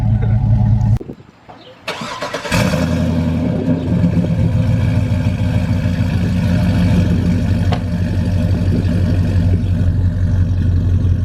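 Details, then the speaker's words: Trailblazer SS V8 with stock cam, after fitting Stainless Works long-tube headers and high-flow cats to cure ticking manifolds: brief crank, catches and settles into a deep, even burble, cam audible, no manifold ticking; normal idle. "you can hear it even though it's the stock cam you can hear the cam more you can just hear it"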